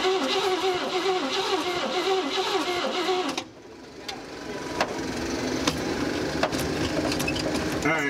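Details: 1956 Cadillac Eldorado Seville, off the road about 30 years, cranked to test the fuel pump: starter churns the engine at a steady rhythm for about three seconds and then stops; it never fires.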